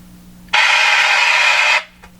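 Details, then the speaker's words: Canadian Westinghouse Model 577 radio during capacitor replacement: sudden loud hiss of static for about a second, then quiet hum; intermittent crackle traced to a cold solder joint. "found it okay okay we found a cold joint cold solder joint"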